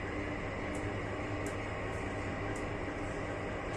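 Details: Wall fan that won't run, powered even on speed three: steady low electrical hum with no blade whoosh; winding hums so the motor isn't burnt, shaft jammed in a tight bearing.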